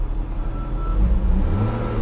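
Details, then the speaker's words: Copart auction car with dead AC blower, engine running: revs rise unevenly on throttle blips with a stumbling, choppy note, a repeated misfire when the gas is hit, visible on the rpm gauge; cause unknown. "oh wow did you hear that misfire when i hit the gas they did it again"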